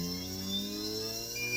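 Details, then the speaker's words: JUGS BP-3 3-wheel controller board 180-2406-0, after repair of faulty motor output channel: motor starts fine with smooth steady whir rising slightly as speed is turned up, no rattles; channel working normally. "Okay, as you can see, it starts fine."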